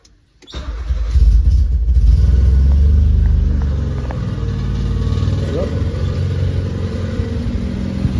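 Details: Nissan Sentra previously cranking but not starting, after fitting a replacement test fuel pump: brief crank, engine catches cleanly, revs up and settles to a steady, even idle; a rattle from the exhaust is noticed afterwards.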